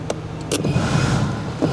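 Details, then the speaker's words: Chevrolet Silverado with no blower, fan on high: sharp relay clicks, each followed by the blower motor surging on as the connector is wiggled; the resistor connector is melted on the power feed and ground, and the blower resistor is bad. "you could hear you can hear the relay clicking and the blower motor coming on it absolutely has a bad resistor"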